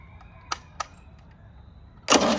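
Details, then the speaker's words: 1987 MerCruiser 3.0 boat engine after more cranking: a couple of faint clicks, then it catches at once and runs with a loud even roar; the engine runs. "ladies and gentlemen, there you have it. The thing runs."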